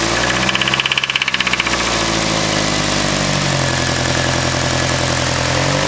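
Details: Nissan SR20 petrol engine idling: rough uneven knock under the hum from a spun bearing.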